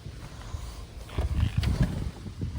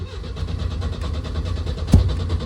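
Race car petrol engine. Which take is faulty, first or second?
second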